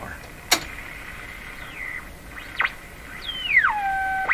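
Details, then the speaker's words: Canadian Westinghouse Model 684 radio on the broadcast band with signal generator modulation off: a whistle sweeps down to a steady tone between sharp clicks. The IF stage is oscillating, with beat tones heard when a signal is brought near. "The IF is oscillating. The IF is oscillating right now. It's oscillating without modulation, so you can't hear it in the speaker."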